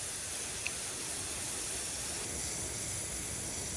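Constant thin high hiss with no rhythm, like water spraying from a slit in pressurized tubing.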